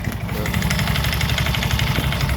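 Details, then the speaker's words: Scooter (Mio-type) single cylinder, push-started at idle with CVT cover removed: rough, rapid slapping flutter over the idle, steady with engine speed; drive belt is visibly slack even before starting; loose flapping CVT drive belt. "Pagpag po ang belt nyan. Dapat kasi ang normal nyan mga bro ay ganito oh."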